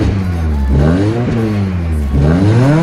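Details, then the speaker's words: Peugeot 206 fitted with a factory RC engine and full factory RC exhaust, first start, no check light: two clean rev blips rising and falling smoothly with no rattles or popping; exhaust sound completely normal and healthy. "صدای اگزوز، صدای کاملا طبیعی و کاملا سیستم اگزوز فابریک خود آرسی."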